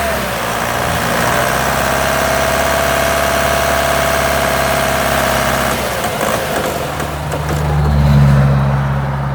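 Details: Vauxhall Omega engine misfiring: lumpy idle with a regular stumble in the exhaust beat, about four a second, then a rev.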